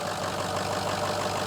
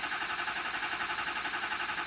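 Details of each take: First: Ford F350 6.0L diesel, towed in as a crank no start, after repair with weak batteries and a long crank: steady, even diesel idle with smooth low drone and light injector clatter, no misses or knocks; fixed and healthy. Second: Ford F350 6.0L diesel crank-no-start, reassembled after repair: starter drags the engine over slowly and evenly, about four compressions a second, no firing, batteries getting weak before a jump box is added; slow cranking, weak batteries.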